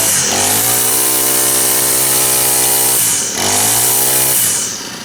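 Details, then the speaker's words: Honda GX25 four-stroke trimmer after full service, run outside on straight gas, likes to warm up; revs up cleanly twice and drops to a smooth idle, no surging or stumbling, normal running. "Was running. Oh, didn't put any throttle on. Likes it warm up though."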